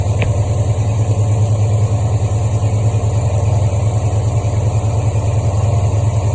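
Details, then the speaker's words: 1973 Ford Mustang Mach 1 V8, Holley 750 CFM 4-barrel, cold engine with choke on: steady, even beat at about 1,200 rpm on the number 2 fast idle cam step, no misses or knocks; normal fast idle. "Okay, now that's in the number 2 cam position, 1200 RPM. If we let it warm up a bit more, that'll go up a little faster."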